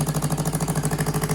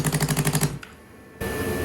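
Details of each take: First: 2015 Yamaha R3 twin engine, warmed up: quick, even, steady putter of about eleven pulses a second; idles around 1,500 rpm against roughly 1,400 read online, so idle speed is slightly high. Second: 2015 Yamaha R3 twin engine, revived after a year without running, after letting it warm up: after a brief cut-out it settles into an even, steady idle near 1,500 rpm with both cylinders firing cleanly; normal idle.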